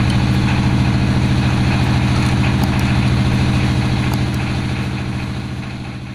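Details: Honda Win single-cylinder motorcycle after replacing worn, broken rubber damper cushion behind earlier "kotok-otok" knock and refitting flywheel; steady even thump about 200 beats a minute, no knocking over exhaust; normal idle.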